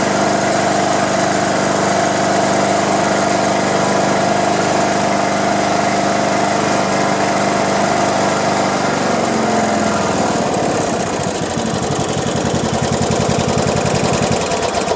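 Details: Craftsman LT1500 riding mower, sat in a barn for years and wouldn't run, now running again with drive belt replaced; runs smooth and even with steady beat, then winds down cleanly to a stop, healthy.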